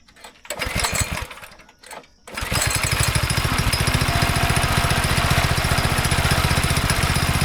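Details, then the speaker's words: Go-kart engine after sitting about 3 years, first run on old fuel: a couple of quiet pulls then a fast, slightly uneven thrumming that never smooths; runs rough and smells awful, bad gas suspected trapped in a tank pocket. "So we got it to fire up. It smells awful and it runs awful. There's still some bad gas somewhere in the tank, like in a little pocket that I couldn't get out."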